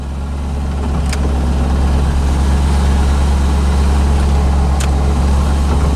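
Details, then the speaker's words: 1985 Chevrolet C4 Corvette after fixing poor negative battery cable connection that caused no-start: smooth, even low rumble at steady idle, a couple of switch clicks; battery charging, oil pressure and rpm good; normal idle. "but now it's working and as you can hear running battery's charging oil pressure is good rpms are good"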